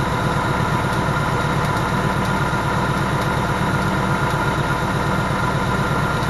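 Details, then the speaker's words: Vehicle at 12,000 miles, just after its second oil change, idles with a light, quick tapping of about two per second, described as pretty bad. It is a top-end tick of unclear cause. "so it's it's tapping away right now like it's pretty bad"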